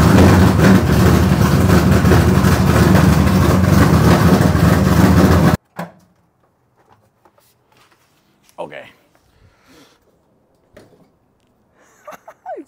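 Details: Newly wired race car's first start in very cold weather after checking for fuel and oil leaks: engine catches and settles into a steady, even idle with no knocks or misses, then is switched off; runs healthy.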